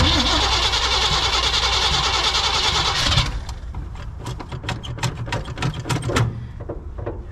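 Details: 1966 Chevy panel truck sitting about 20 years, started cold in winter on a fresh battery with fuel walked up: long crank, then it catches and runs rough with a fast, light ticking clatter. The lifters are a little noisy.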